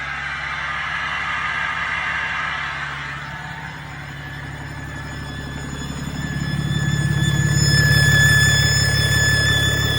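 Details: Cummins diesel engine with a deleted setup: a rumble with a thin, steady whistle over it from an exhaust leak at the EGR, which had fallen off.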